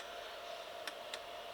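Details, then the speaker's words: HCalorie Chinese diesel heater with homemade controller, first test, battery charger off: two sharp ticks about a quarter second apart over electrical hum; dosing pump pulses irregularly with overly long on-pulses, cause not yet found. "you can hear that very long on pulses which is not what we were looking for"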